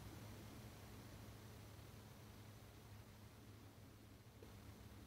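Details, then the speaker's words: Alpicool 20L compressor fridge in a 2011 Dodge Grand Caravan, plugged in: very faint steady low hum under room hiss, no rattles or clicks; normal compressor running. "and it it's plugged in right now and you can hear a very very very faint humming"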